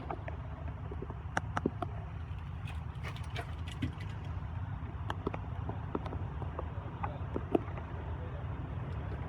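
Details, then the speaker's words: Truck with MX-13 engine, no-start with no MIL, ECM power relay reinserted with key on: sharp scattered clicks over a low steady hum, the relay energizing normally. "And you're going to hear it clicking around, but that's just an indication that the relay is working properly."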